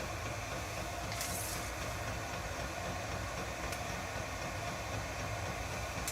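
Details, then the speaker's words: Chinese all-in-one diesel parking heater in shuttle bus RV conversion, first test fire on high just after ignition, fan ramping up, output still warming: steady even rushing hum of fan and burner, no surging, knocks or squeal; normal running. "I hear the fan starting to kick on a little higher. Yeah, the fan is coming up more and more."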